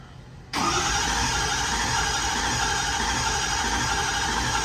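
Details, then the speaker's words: 6.0 Powerstroke diesel bought at auction, cranked with scan tool showing no injection control pressure, IPR maxed, sync and voltage present: a steady whirring crank that never catches; crank no-start, high-pressure oil leak indicated. "not making any hot pressure wool pop your arms maxed out we got sink we got voltage all right so we know we have a high pressure oil leak"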